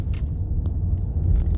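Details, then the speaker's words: Nissan Qashqai driving over bumps after both front anti-roll bar drop links were replaced: just low road rumble with no clunks or knocks, where before every bump clunked; fixed. "You can hear there's no clunking whatsoever. Um, it's definitely fixed it."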